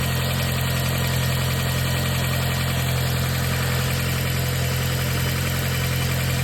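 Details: 2020 Audi S3 idling down from cold start: fast light ticking rattle two to three per second, seemingly from timing chain case; OBD camshaft positions read 0.0 intake, -5.2 exhaust; source unconfirmed.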